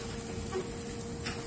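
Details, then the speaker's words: Small metal-gear motor on bench supply at just over 6 V; steady even whirring hum, turning fairly fast and strong with no clicks or grinding; normal running. "我们听这个声音啊，感觉这个力量是比较强的。"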